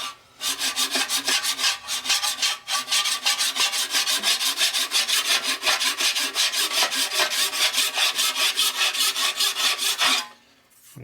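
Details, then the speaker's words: Hand-filing a 12in surface grinder pan, pushing hard on the forward stroke: rhythmic rasping about three strokes per second with a harsh catch each pass as a big piece of debris in the file chunks into the work; file loaded with debris. "There's definitely a big piece of something going back and forth. You can hear it chunking into the filing."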